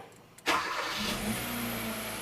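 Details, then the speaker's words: 2015 Hyundai Accent after crank sensor diagnosis (P0335, dead tach, hard start, stalling; P2188 rich at idle): brief crank, catches at once, steady even idle. Normal start. "so you see start right up"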